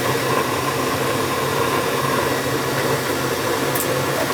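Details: Attic gas furnace serving a non-working second floor, running after thermostat red and white wires were jumped and ignition achieved: steady even roar of burner and blower air, no rattles or squeals, so normal running. The thermostat is suspected bad.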